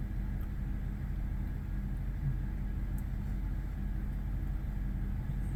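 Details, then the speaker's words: 2005 BMW 745Li V8 cold start after sitting almost two months, low on gas and leaking oil and power steering fluid; struggled to start, now a low, smooth, steady idle without stumbles or ticking, already quieting down: normal cold idle. "it's not bad kind of quieted down already a bit which is good"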